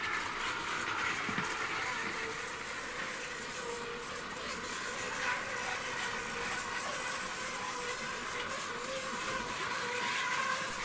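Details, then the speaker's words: 2006 Hornby Class 60 model locomotive, sound off, freshly cleaned wheels, pulling China clay wagons: steady high whirring rattle with a gritty edge over wheel clatter, fine slowly but harsh as speed rises; noisy drive at speed, cause unknown. "so if you run it slowly you know it doesn't seem too bad at all does it um but as you rack up the speed then it seems gets really bad and it doesn't sound very nice as you can hear"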